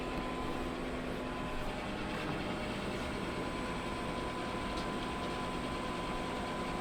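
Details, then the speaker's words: Pit Boss Competition Model pellet smoker after a new igniter install, temperature set to 225 degrees: combustion fan blows harder, quiet steady hum and airflow hiss, with no error so far where it used to fault. "You can hear the machine reacting to that. The fan is blowing harder."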